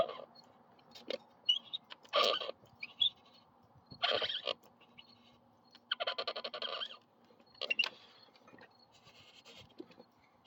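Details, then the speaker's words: Built 212 kart engine (B200) that lost power and knocked while racing, spark plug removed, turned over by hand, valve cover off: short high chirpy squeaks in uneven bursts, especially on direction change; cause unconfirmed. "let get you in close maybe you can hear this squeaking I'm talking about"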